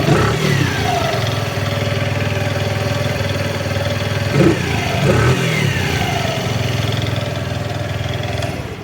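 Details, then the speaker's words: Freshly rebuilt Bajaj Platina/CT100/KB4S single-cylinder engine, with 1 L of TVS oil, started on one kick: steady idle with clean throttle blips, even firing, no knocks or rattles. Healthy engine, normal idle. "तो engine का sound जो है बहुत ही बेहतर आ रहा है। आपको कैसे आ रहा है वो नहीं बता सकते, लेकिन बहुत मस्त साउंड आ रहा है।"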